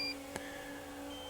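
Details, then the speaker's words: Drone controller giving high electronic low-battery warning beeps over a steady hum, starting at about 12 percent battery while full control remains. "we are this thing does just about 12 it starts doing this emergency beeping but I still have full control"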